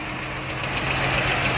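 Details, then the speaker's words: Hot 3.6 Pentastar V6 at idle, 184 on display: light, fast ticking over the idle in step with engine speed; valve train tick suspected on one bank, possible camshaft lobe wear, unconfirmed before valve cover removal. "Alright, so yeah, that is definitely a tick."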